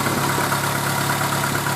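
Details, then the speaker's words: Renault Clio at idle, recorded at engine bay and inside car: steady low purr over even idle with constant hum underneath; owner unfamiliar with the noise, source unknown. "it just sounds like a purring I don't know if you guys can hear it or not"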